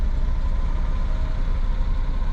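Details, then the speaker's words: Suzuki Jimny cold idle after new spark plugs, new parts and Seafoam added: low, even idle rumble with a steady pulse and no ticks, misses or hunting; normal cold idle. "nice and smooth. That's a cold start too."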